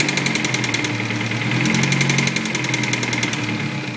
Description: 2001 honda s2000, Spun cylinder number #2 rod bearing........ knocking koncking knocking